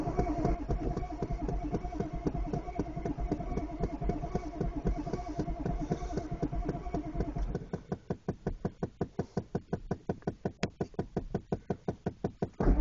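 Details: 1993 Chevy 6.5 turbo diesel 1-ton dually on a cold start: slow, steady cranking at roughly two compressions per second throughout, and the engine never fires or catches; cranks but will not start.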